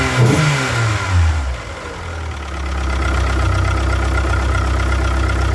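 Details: 1998 DSM (420A engine) idle after a rev blip, faint irregular tapping knock in the low rumble; owner suspects a rod bearing, unconfirmed.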